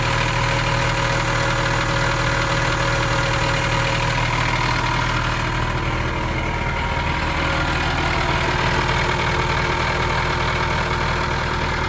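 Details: Airman PDS185S portable screw compressor with Nissan industrial diesel, after a full service with oil and filter change and fuel system refilled. Steady, even diesel idle with a constant low drone and no knocks, misses or hunting: running normally.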